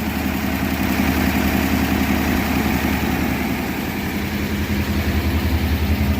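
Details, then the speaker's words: 1957 Ford Thunderbird, 312 Y-block V8 revived after 35 years off the road, first run after transmission fluid in the cylinders: even steady V8 burble at idle with regular low pulse and no knocks or misses. "Oh, we got corn. Holy shit, it's actually running. Make popcorn. No way. This caught me off guard. Wow, that sounds good."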